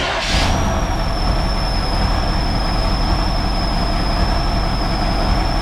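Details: 1969 Chevrolet Impala running on its own again after 20 years of sitting. Lumpy, uneven idle with a thin, steady high whistle throughout; rough idle, likely air sucked in around the carburetor (suspected).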